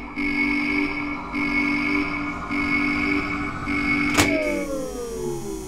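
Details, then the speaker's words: Tea-kettle model locomotive, possibly all-wheel drive, given power: steady electric motor hum with a high whine winding down after a click and the front light on, but the wheels don't turn; the gearing is likely not meshing or broken. "the light on the front has come on and I can hear that the motor is running no movement on the outside though so obviously there's something wrong with the gearing something's not meshing properly maybe something's broken"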